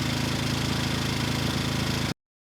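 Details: Rebuilt Briggs & Stratton engine, model 210312-0159-E1, with under 50 hours from new when it failed from running out of oil, slight cylinder damage: firm, even single-cylinder thump at steady speed, no knock or rattle, then a clean shutdown; normal running.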